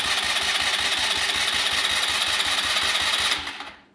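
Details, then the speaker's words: Neglected ATV that sat unused: push-button starter now cranks with fast even whirr and regular compression pulses but doesn't fire; carb likely needs removal; normal starter cranking. "There we go. Getting somewhere. Starter works, or the push button starter works now."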